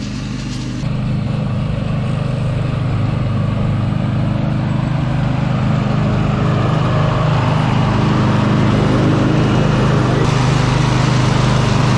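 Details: 2007 John Deere Z425 zero-turn mower after replacing its self-destructed Briggs & Stratton engine (1000+ hours) with new 44S977-0032-G1 complete with starter and auto choke; steady low even drone at constant speed, no misses or knocks, running healthy.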